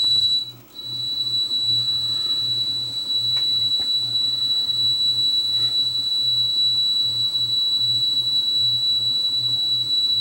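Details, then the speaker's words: Akai 4000DS MK2 reel-to-reel, powered on and not playing: constant high-pitched whistle and hiss with low pulsing hum from noisy amplifier transistors, likely in the power amps; amplifier hiss. "we got noisy amplifiers on this too really noisy amplifiers yikes [Music] noisy transistors yeah it's noisy with powered on and not playing oh that's that's the noise"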